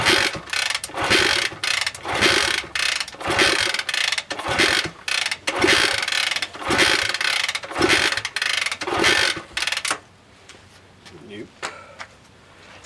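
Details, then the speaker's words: 1960s Honda CL90 (about 1966) on a 6 V variable supply, fuel poured into the carburetor: rhythmic kick-over strokes about once a second for ten seconds with no firing, then silence; spark inconsistent, then none. "no spark let's see if we can see this i get an inconsistent spark i'm getting nothing"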